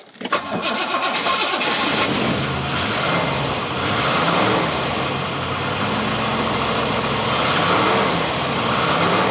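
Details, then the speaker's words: Rover P6 with 4.6 V8 in park, handbrake on, pump primed; catches on first crank and settles into an even, smooth idle with no knocks or misses; microphone favours high notes, so it may sound rougher than in reality. "now to my ears in real life this sounds buttery smooth like butter as they say"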